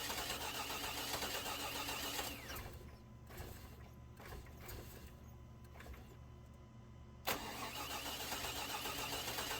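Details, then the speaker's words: 2000 Chevy Tahoe Limited Vortec 350, after sitting under 12 inches of snow: the starter cranks at a steady fast beat with no start, then the engine gives stray uneven hits on key release, sometimes trying to run backwards. Cause: crossfire in a wet, corroded distributor cap. "you turn the key off or whenever you release the starter the motor it it hits a couple of times sometimes it'll even try to run backwards"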